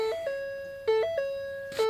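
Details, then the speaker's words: 2010 Ford F-150 (cam phaser/VVT work pending, check engine light on), battery charger connected: two-note electronic chime repeats about once a second with lights off and key out of ignition; doors checked shut, also happens without starting; cause not found. "i don't know what's going on everything's off the lights are off the key is out of the ignition and we just have this random digging going on"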